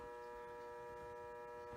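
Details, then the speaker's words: 1973 Williams Gulfstream electromechanical pinball machine, powered up during restoration: faint steady buzz from a relay coil in the lower cabinet coin door, stopping when pressed; buzzing relay coil. "so you can probably hear a relay buzzing in the background and that's on the lower cabinet or the coin door"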